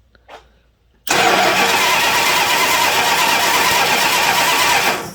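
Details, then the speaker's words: 1975 Plymouth Roadrunner that sat for 20 years: the starter spins hard and evenly for about four seconds but the engine won't fire; the cause is not confirmed. "Sounds like we got nothing. You don't think we ran out of gas, do you?"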